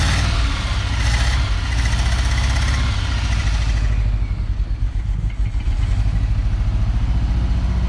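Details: 318 V8 in a 1974 Dodge W200 just revived, no working gauges or oil pressure reading: deep idle with an uneven, lumpy beat that gets choppier, no clean steady rhythm; running rough, cause not confirmed.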